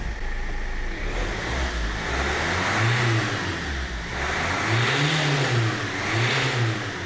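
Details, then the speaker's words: 2007 Land Rover Freelander 1 TD4 diesel after high-pressure fuel pump replacement, no engine light: several quick revs pick up cleanly and settle back smoothly, no knock, misfire or hesitation; healthy. Antifreeze top-up and system bleed still to do. "that all sounds good now what I do have left to do is top-up the antifreeze we lost bleed the system and then we are good to go"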